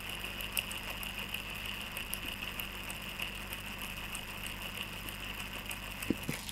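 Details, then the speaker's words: Steady, even high whir with a soft low hum underneath, no grinding or rattle, from an RC adventure crawler gearbox after it was filled with oil so the noise went away; normal quiet gearbox running. "nah ketika habis diisi dengan ini ya bunyinya akan menghilang"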